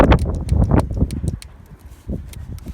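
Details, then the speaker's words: JCB Loadall 120 turbo telehandler that won't start (suspected fuel problem): fuel shut-off solenoid, one side cover removed, tapped and heard clicking on and off with sharp metallic clicks, likely working normally; old fuel filter later found half full. "So we take off one side. If I just tap on it, you can hear the solenoid clicking on and off."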